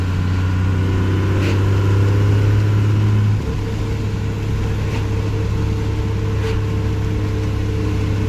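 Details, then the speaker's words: Second-gen diesel truck with an NV4500 gearbox, cruising under light throttle, not floored. Deep, even drone that eases smoothly off load with no knock or miss; engine running healthy. "Sounds really good. It doesn't chew like Otis does though. But I guess it does make like 3 times the horsepower."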